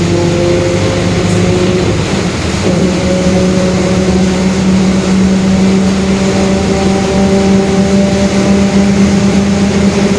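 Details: 2021 Marcopolo Torino S bus, long version, on a Mercedes-Benz OF-1721 Bluetec 5 chassis, recorded onboard in urban intercity service: engine drone with a low hum that climbs gently with road speed. Drivetrain/differential growl suspected.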